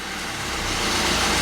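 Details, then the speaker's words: Dacia with overheating, abnormal exhaust smoke, odd engine noise, power loss and hard starting, engine run at full throttle: harsh rough roar and hiss instead of clean pull, pointing to a failed turbocharger. "Là, j'ai le pied à fond sur l'accélérateur et je sais pas si tu entends le moteur, mais"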